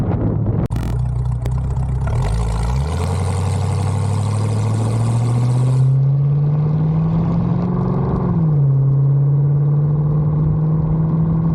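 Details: 1974 Bitter CD, Chevrolet 327 V8, warmed up, test drive under load after HT leads, cracked distributor cap, points and condenser replaced: note climbs smoothly with revs, no stumble or popping; misfire fixed, normal acceleration.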